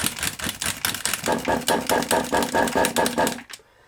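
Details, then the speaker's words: Kyosho MP9 nitro RC engine, first start after 2 years, glow starters tested good: quick ragged ticking while turning over, about two a second, no firing; owner suspects no fuel getting through; cranks but no start. "I don't think we're getting any fuel, you know. I don't think we're getting any fuelage, personally."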